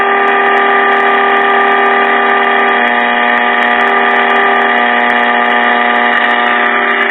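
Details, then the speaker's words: 1940s Sentinel AM tube radio during IF alignment: steady buzzy 455 kc test tone through the set while a trimmer is adjusted for minimum output; tone getting louder. "right now we're adjusting this trimmer for minimum 455 kilo cycle output you know so you want to be stuck too look that's getting louder"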